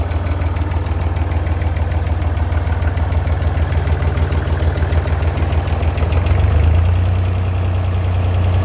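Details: Massey Ferguson 35 Perkins diesel tractor after a cheap partial rebuild: deep even chug at a slow steady idle with a slight swell near the end; runs smoothly.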